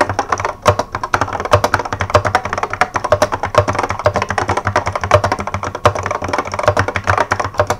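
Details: 1986 Apple M0110A keyboard with Alps SKCC tall cream switches, typing demonstration; fast irregular strikes, each with a thin metallic ring; heavy, smooth switches that ping like crazy; keyboard switch spring ping.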